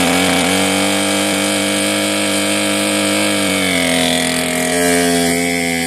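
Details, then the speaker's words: Cheap modern two-stroke chainsaw from a marketplace find, used (chain wear on clutch gear), running on old fuel still in its tank; high buzzy steady idle with only slight pitch wander. Normal idle. "There we go. It hasn't died yet. Is there fuel in this thing? There must still be good fuel in this tank, and the carburetor is actually functioning."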